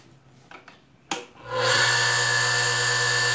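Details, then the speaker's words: Industrial sewing machine motor, before repair: spins up after clicks, steady thin high squeal over hum that persists while coasting down; worn 6203 bearings, lower one worst. "geralmente o barulho vem com o chiado, quando o motor também vai parando ele fica chiando, sinal que é os rolamentos,"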